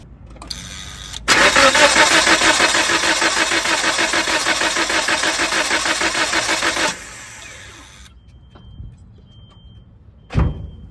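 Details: 1997 Nissan Sentra/Tsuru: cranks in a quick, even rhythm for about five seconds but never fires. The spark tester would not jump a 30 kV gap and raw gas is smelled.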